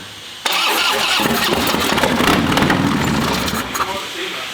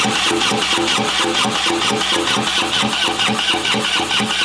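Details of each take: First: Harley V-twin being revived, with gas poured into the intake: silence, then the twin suddenly fires and keeps running with a loose, uneven beat, confirming ignition. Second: Harley V-twin being revived, with a dry fuel pump just primed: steady fast cranking at about two beats a second and the starter grinding, but it never fires; owner suspects badly plugged injectors.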